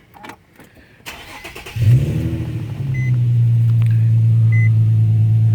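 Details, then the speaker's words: Infiniti G35 after O2 sensor replacement with threads repaired by thread chaser, battery disconnected overnight; short crank, quick catch, smooth steady idle with dash chimes; everything back to normal. Normal start and idle. "I'm gonna go ahead and start it up for you guys so you can see everything's back to normal."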